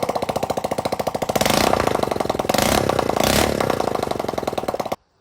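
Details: Go-kart project small single-cylinder engine after getting it running: putts evenly, picks up cleanly on two short throttle blips, then shuts off; runs fine, before exhaust pushrod later fell off.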